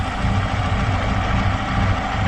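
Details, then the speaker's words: Chevrolet Aveo T250 with added LPG, running on petrol at nearly warm idle: uneven lumpy throb, engine misfiring on one cylinder with no scan codes; runs smoothly on gas; injector not receiving signal. "так ну йдемо дивимось Як працює двигун Ось так його по"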